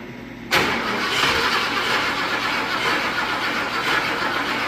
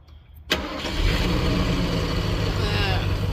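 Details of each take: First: Junkyard Ford Thunderbird V8 revival with bad accelerator pump: catches and runs roughly, uneven stumbles and sharp snapping ticks; misfire suspected from crossed plug wires, vacuum leak also suspected, not confirmed. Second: Revived junkyard Ford Thunderbird with a bad accelerator pump. It catches at once and settles into a steady, even idle with no misses or knocks, a normal start and idle.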